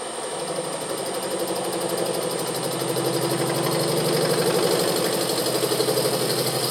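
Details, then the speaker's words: Milling the remains of an exhaust pipe, collets and nut out of a Moto Morini 500 cylinder head: a steady 20-thou cut in bronze with an even cutting chatter and low forces, the fixture steady unlike on steel, sound changing on hitting the collet; a clean cut. "bronze is now cutting much more nicely. That was a 20 thou cut, and the forces are low enough that the fixture's really not moving around like it was with the steel. You hear the change in sound as we hit the collet, but that worked fine."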